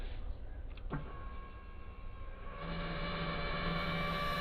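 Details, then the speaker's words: Kymco scooter with unknown noise complaint, first suspected cooling fan: thin steady high whine rising over a low hum once powered; identified as the fuel pump making the noise. "You know that actually sounds Huh. Like the fuel pump. Hmm. I thought it was the Yes, that is the fuel pump. Making hideous noises. I thought it was the the cooling fan. It is not."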